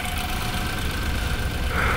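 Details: 2015 BMW X3 N20 with blinking check engine light and shaking: low, lumpy idle with uneven shake and periodic stumble; misfire codes on cylinder two, cylinder misfire traced to a failed ignition coil.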